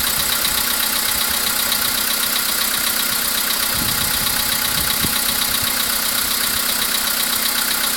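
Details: VW Polo Sedan with CFNA engine at idle: light, fairly even tap about twice a second under the hiss of a steady idle; an unexplained engine knock, source not pinned down.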